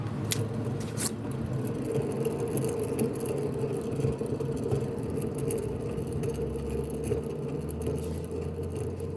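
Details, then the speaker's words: 2002 Nissan Almera N16, jacked up, its left rear wheel spun by hand gives a rough, gritty droning rumble fading as it slows; worn left rear wheel bearing causing vibration and humming, fixed by hub and bearing replacement. "we getting some vibration and it turn out to be the left rare reare wheel bearing"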